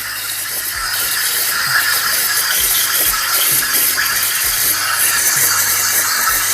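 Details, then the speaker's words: Breville Barista Express with 3-hole steam tip steaming milk: hissing with irregular gurgling pops as the upper hole, nearest the surface, draws air and throws big bubbles; fix is dipping the wand deeper. "Yeah, it's occasionally introducing those big bubbles."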